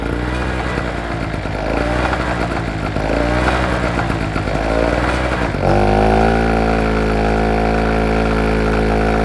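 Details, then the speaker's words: 2-stroke SIP generator that had suddenly stopped working and had water in it: the small engine's buzz wavers and surges up and down for several seconds before settling. The engine hunts at no load. "it starts up alright we know we're on a winner I know it hunts a little bit on the no load but we'll sort"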